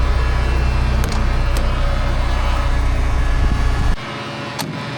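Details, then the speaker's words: Classic Porsche idling, left running to watch oil pressure: loud, steady radiator fan roar over the engine, holding even then dropping away sharply; cooling fan excessively noisy. "Fan is so bloody loud. I've managed to fix one of the doors just with a bit of WD footwell. Bloody hell, that's noisy."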